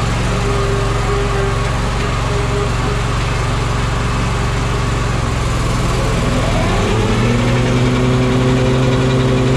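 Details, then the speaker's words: Walker mower deck after fitting new OEM blades and hubs and a used rebuilt gearbox: steady engine hum with a ringing metallic rotational whir from the deck that shifts near the end; noise unchanged, cause not found. "I guess I explained it wrong. It's like a rotational noise, but it's like metal sounding."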